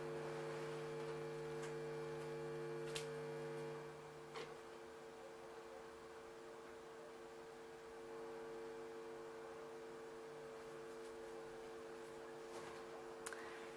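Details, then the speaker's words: Sony PlayStation 1 connected to a monitor and desktop speakers; hum starts when the console's cord is plugged into the socket: steady low electrical buzz with fixed tones, one dropping out; mains hum, cause unclear. "мы вставляем в розетку 1 провод от приставки sony playstation пошел такой знаете звук если вы сейчас слышите"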